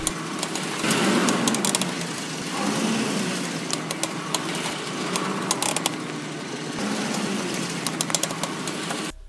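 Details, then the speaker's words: Ford Explorer front wheel: steady rough crunching with scattered sharp clicks over road noise from a worn front wheel bearing; inner or outer unsure, both replaced, and the old bearing showed metal burrs. "ya que me generó un problema lo que viene siendo El balero y aquí te voy a estar dejando ahorita el video de Cuál es la falla como puedes ver se escucha como un crujido"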